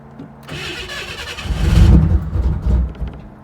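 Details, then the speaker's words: 1991 Camaro after AC compressor replacement: several seconds of cranking, then catches roughly and surges unevenly before settling, needing a little gas; struggling to start. "Oh, you gotta give it a little gas. Hold up."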